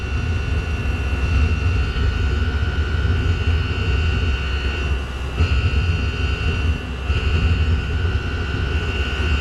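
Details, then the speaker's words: Chinese PT-5 diesel heater, restarted with choke after going out: steady roaring burn with a high whistle that dips when the air inlet is uncovered and the temperature drops. It is kept alight only by restricting the inlet by hand. "in order to keep it going I'm having to keep my fingers over the air Inlet you'll hear the noise stop and you'll see the temperature drop and then when I put my fingers there it will Stir It Up again"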